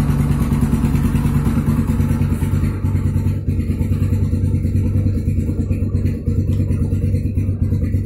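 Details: Yamaha Scorpio Z after 6-plate clutch lining and clutch housing replacement and clutch spring holes shifted 180 degrees: steady single-cylinder idle about three beats a second, smoother, earlier clutch rattle gone.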